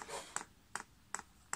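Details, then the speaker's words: Chinese diesel air heater running on paraffin, primed from the LCD controller before first start: the fuel dosing pump ticks with sharp, evenly spaced clicks about 2.5 per second, normal during priming. "I can hear that pumps clicking"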